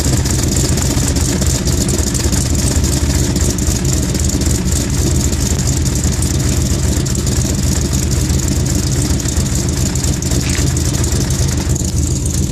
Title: cold start misfire